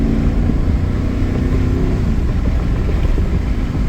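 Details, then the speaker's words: 2011 Cadillac Escalade EXT 6.2 LS V8, driving after cleaning the throttle body to fix sluggish take-off: deep, even roar building smoothly under throttle over road noise, pulling cleanly without hesitation; acceleration now normal. "like before when I took my feet off the gas it barely moved now if it's moving and it's ready to go"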